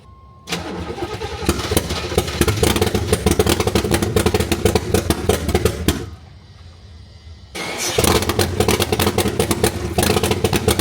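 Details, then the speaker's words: C3 Corvette after timing chain replacement, water in oil, heads and head bolts to be checked, others suspect electrical: fires, runs rough a few seconds, dies, catches and runs unevenly, white smoke from carb: stalls after starting. "you see how she installs like how she spoofs white smoke out the carb and immediately stars like what is"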